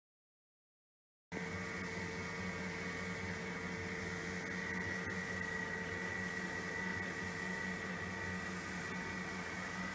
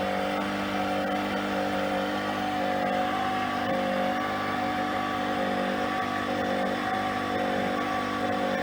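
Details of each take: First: Normal running after bearing replacement on a PRO-FORM Cardio Strong treadmill (PFTL71013.0): quiet, soft even whir and faint steady hum, no grinding or rumble; previously sounded horrible from bad bearings. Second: PRO-FORM Cardio Strong treadmill (PFTL71013.0), before bearing replacement: loud, steady grinding drone with several whining tones from worn bearings.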